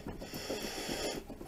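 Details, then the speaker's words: 2009 Dodge Avenger, high mileage, passenger-side grinding/rattle: rough rasping clicks as the lifted front wheel is rocked by hand, showing heavy side-to-side and up-down play. Worn wheel bearing shedding metal pieces, sway links also worn. "I don't know how well I can show you this here but the enough that's picking it up got quite a bit of side to side up and down movement on it"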